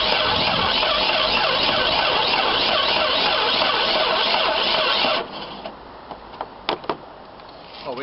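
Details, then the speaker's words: 1995–96 Jeep Cherokee XJ 4.0 petrol (UK) during immobiliser/alarm bypass: steady fast starter churning about four turns a second for five seconds, never firing; cranks but no start; owner suspects fuel pump not working, under the rear near the tank. "something I mean it may well be that the fuel pumps not working as well because it did burst intellect but then it stopped so that would be consistent"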